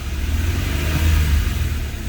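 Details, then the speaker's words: Honda/Acura 3.5 L J35 V6 after timing belt and water pump replacement, warm after 45–60 minutes running, temperature gauge normal, no check engine light: deep, smooth revving rising and falling evenly, no ticks or knocks; normal. "It's been running for probably about 45 minutes or an hour right now, and temperature hand is where it's supposed to be, and you can rev the engine."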